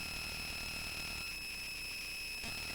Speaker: there you go hear the noise great such a lovely noise i'm not quite sure why the noise